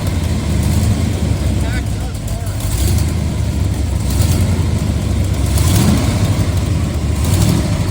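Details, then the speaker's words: 1969 Corvette with about 14,000 miles, Hooker header side pipes with mufflers: deep even V8 rising and falling with each blip, no lifter clatter; hydraulic cam motor, sounds healthy. "you can hear that it's it's a it's a hydraulic cam motor definitely not solid liid cams"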